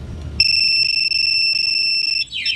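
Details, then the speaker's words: Suzuki Raider 150 FI motorcycle with Yamaha two-way alarm armed: tampering with ignition triggers piercing steady siren that then warbles; bike and remote alarm, engine won't start. "Yung alarm system mga sir, kapag ginalaw or sinira ang susian, hindi mapapaandar. Tapos mag-iingay ang remote, pati ang motor."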